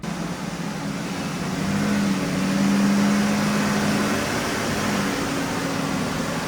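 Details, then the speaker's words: 2000 Ford Ranger 3.0L V6 before repair: engine revving high with foot off the gas, steady fast idle swelling slightly and not settling; high idle, owner suspects sticking idle air control valve (dirty mass air flow sensor later found). "can hear it just revving. Foot's not even on the gas pedal. Thing's just revving like crazy."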